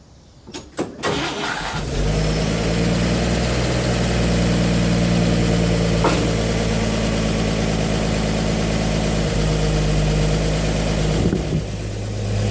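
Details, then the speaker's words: 1955 Chevy straight-six barn find, dormant since the 1990s, restarted after cooling for hours: cranks, catches, then idles with a light steady ticking from one or two loose solid-lifter rockers, over a raspy note from a glasspack and rusted-out, leaking exhaust. "This is a solid lifter engine, so I do have to adjust the rockers on it. It sounds like there may be 1 or 2 of them clicking when you do it. This has a little glass pack on it, and the exhaust is pretty rusted out,"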